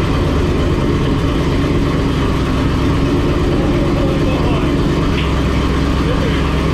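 Loud, lumpy idle with a steady deep rumble and no knocks or ticks; this aggressive-cam V8 is warming up healthy.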